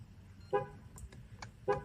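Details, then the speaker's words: StarLine S9 V2 alarm with integrated tracker on a Mercedes ML W166: after disarming and switching ignition on without code, badge or phone, a start attempt trips the alarm, two sharp horn chirps; engine starts then is cut by the immobilizer. "l'alarme se clanche si j'essaie de démarrer le moteur le moteur démarre mais il va se couper"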